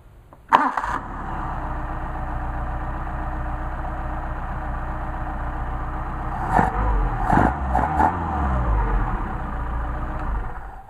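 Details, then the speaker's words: Solex carburetors on an engine, hot restart: warm engine catches instantly and settles into a smooth steady idle with a few clean blips; starts and runs healthy. "Jim, those are some really nice carburetors, even if I do say so myself."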